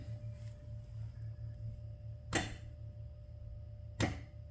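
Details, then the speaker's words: Canton Accusump 2-quart accumulator electric valve in an LS-swapped 1985 Pontiac Trans Am, key on, switched by a switch: two sharp single clicks about a second and a half apart over a low hum; solenoid valve working normally. "Now, we can we can switch it. And you can hear the click."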